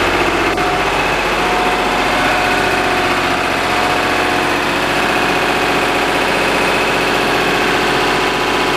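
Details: Lister HR3 diesel generator after cold start, carrying the house on a 100 amp service: steady, even beat of constant pitch that doesn't sag or hunt under electrical load; tested right at 60 Hz, running healthy.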